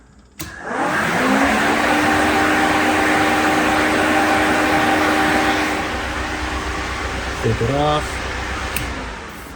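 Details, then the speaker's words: V8-swapped Mazda Miata (Ford 302), newly installed dual 11-inch Flex-a-Lite electric cooling fans with low-profile shroud, switched on by a toggle; spin up quickly to a smooth even whoosh and hum, no rattle; normal fan operation. "i also wire the fan so when i flip this up you can hear the fans run in"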